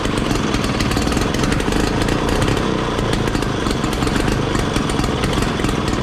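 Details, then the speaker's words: 1968 Ski-Doo Super Alpine with Rotax 370 opposed two-stroke, muffler found packed full by animals through the tailpipe and cleared, fuel lines replaced: loud crisp buzz revving freely without stumbling or popping, running as it should. "So I guess our original diagnostic was correct after all. That sounds like it's working like it should."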